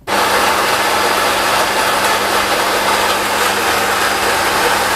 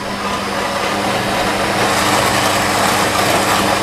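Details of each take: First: New Nivona 690 coffee machine in for repair, dumping ground coffee into the drip tray (factory defect, microswitch): six seconds of steady, even grinder whirr on finest grind, strength level 5, then quiet pump and brewing sounds; grinding and brewing normally. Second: New Nivona 690 coffee machine with factory defect dumping ground coffee into the tray, strength 3, pulse pump mode: steady harsh grinder whir about four seconds, then the cycle cancels because there were not enough beans.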